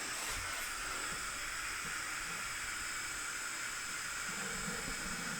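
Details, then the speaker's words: TIG welding aluminium on DC instead of AC: steady smooth hiss with high whistle and no AC buzz; DC and AC differ greatly in loudness, and aluminium requires AC, so the weld was messed up. "You'll notice because AC versus DC, one's way louder than the other one, but It was not focusing when I did."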